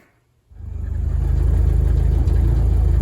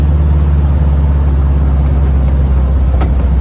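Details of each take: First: VW-engined Deserter GT dune buggy at low, uneven idle, rattle at the rear pulsing about four times a second; reused clutch's throwout bearing, apparently loose in its mount and bouncing; engine to be pulled to replace bearing, pressure plate and disc. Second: VW-based Deserter GT dune buggy on a test drive after replacing the noisy throwout bearing, pressure plate and disc; deep steady engine and road rumble, a few light clicks, previous rattle and clutch-pedal noise gone; normal clutch operation.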